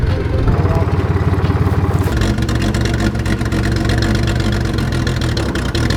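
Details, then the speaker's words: 1944 Chevy Blitz WW2 army truck, unused for about 30 years: loud, rough, uneven running with irregular chuffs that falters after two seconds and splutters out from running out of petrol. "but the reason that's so loud is there's no fuel in it and it spluttered out i thought i killed it but it just splotted off for now it's ran out of petrol"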